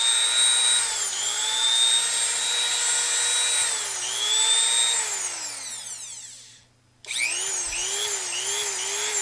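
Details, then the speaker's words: Repaired made-in-Mexico Dremel rotary tool, single speed 35,000 rpm: steady high-pitched whine dipping slightly under load, spinning down smoothly and restarting cleanly; normal running. "This one here is just a single speed, 35,000 RPM. But I got this Dremel tool that was given to me back working again."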